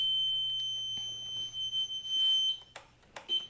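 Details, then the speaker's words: Piaggio MP3 400 scooter: a steady high-pitched beep holds, breaks off briefly, then sounds again while the suspension lock warning light stays lit; suspension lock fault warning. "Spróbujcie zauważyć mamy taki sygnał dźwiękowy i zobaczcie sobie że świeci kontrolka cały czas świeci kontrolka"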